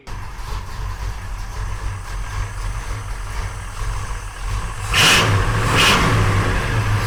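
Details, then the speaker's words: 1968 Oldsmobile 442 V8, first start after sitting over 40 years, new starter fitted: loud deep burble idling evenly, two sharp clean throttle blips rising and falling smoothly. Healthy V8 revving. "That's the song of my people. >> Yeah, that sounded really good."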